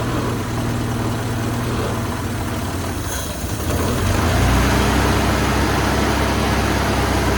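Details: 1974 Toyota Celica 18R-G engine after replacing a seized, squealing water pump and the thermostat and flushing the block: low, even idle that picks up slightly partway through and stays smooth with no squeal; normal idle.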